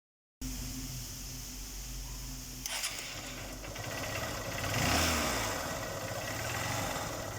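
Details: Single-cylinder engine idle with an uneven tapping underneath, then a quick throttle blip; something knocking inside. The noise was solved after a rebore and piston replacement.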